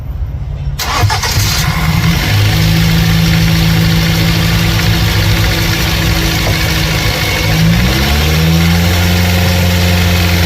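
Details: 2005 Ford Focus after alternator replacement: quick crank, clean catch, settled even idle and a short smooth blip. Battery reads 12.88 V and it is charging again; the engine runs normally.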